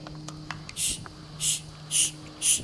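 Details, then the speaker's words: 1991 Cadillac Brougham, check-engine code 32 in cold weather, with vacuum applied to the EGR valve. Four short, sharp hisses, about two a second, one per pump stroke, and the valve won't move; a ruptured EGR diaphragm, fixed with a new OEM valve. "and it just doesn't do anything you can even hear the [Music] hissing so this EGR valve was stuck closed which set the code"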